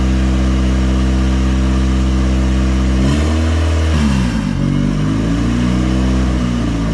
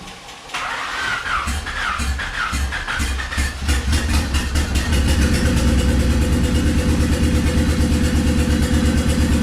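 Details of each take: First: Turbocharged Honda Civic engine just rebuilt from a used motor, first run, cooling not yet connected: steady deep idle, quick blip that drops back and settles evenly, no misfire or stumble; normal running. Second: Swapped Honda D15B2 engine in an EG coupe: cranks, catches, then idles with uneven stumbling beat about three per second; misfire.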